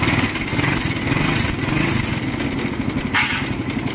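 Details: Motorcycle runs loud and rough with a harsh rattling clatter and heavy vibration. The noise came from a worn clutch lining and a scored clutch hub.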